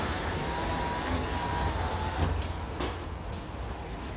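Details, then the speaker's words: 1999 Seat Toledo Mk2 1.9 TDI AHF 110hp power window after repair: smooth, steady motor whir for a couple of seconds, then a soft thud as the glass stops, no grinding; the noise came from a cable badly wound on the motor and is gone. "como veis ya hemos quitado este molesto ruido que tenía la ventana Al subir bajar puesto que era el cable que estaba mal enrollado en la del motor"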